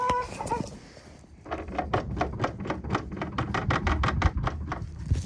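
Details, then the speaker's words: Warm car jacked up for oil drain; steady sharp clicking knock about five a second over low drivetrain rumble from gearbox area; differential or gearbox suspected; drivetrain knocking, cause unconfirmed. "we'll ignore that gearbox noise for a bit. Seb did keep saying diff, but diff and gearbox."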